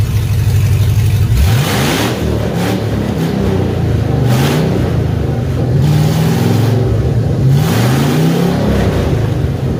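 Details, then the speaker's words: 2003 GMC Yukon Denali 6.0-liter LS V8, donor engine for a Chevy K20 swap, with no exhaust or cats: loud raw open-pipe rumble, several clean revs rising and falling smoothly back to a steady idle; runs healthy. "I'm curious what the 6.0 sounds like with no exhaust. A lot more throatier. Boy, that sounds awesome."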